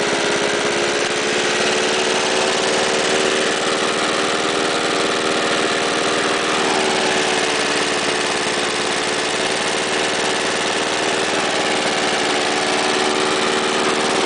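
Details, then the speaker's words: Warm start of a Jacobson lawnmower with a 1991 Briggs and Stratton vertical-pull engine, about 10 hours of use, recently revived after 12 years sitting: a steady, even single-cylinder buzz with no misses or knocks, normal warm start and run. "This is a warm start. I had it running today, so."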